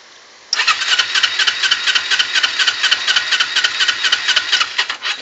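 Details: 2008 Kawasaki Ninja 250R that hunts at 5,000 rpm, idles at 2-3,000 rpm or dies, exhaust smells of raw fuel, owner suspects it needs rejetting: starter churns about two pulses a second for nearly five seconds without catching; hard start.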